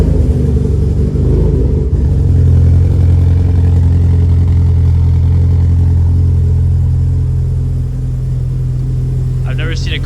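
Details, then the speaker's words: Subaru WRX STI with cams, cold start after sitting about five years on old fuel, compression untested. It catches immediately and settles into a smooth, even idle with no misses or knocks, possibly slightly rough from the cams and old fuel. Normal cold start. "Man, it actually sounds super super smooth. I mean, granted, we haven't done like a compression test or leak done test, but it does have cams, by the way."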